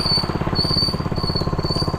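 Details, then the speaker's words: Restored 1970 MTD Trailflight mini bike with new 98cc 3 hp engine, near its roughly 25 mph top speed: thin high squeal coming and going over rapid engine pulses when braking; brakes noisy, owner suspects the painted brake drum. "That's it, that's top speed. Brakes are a little bit noisy,"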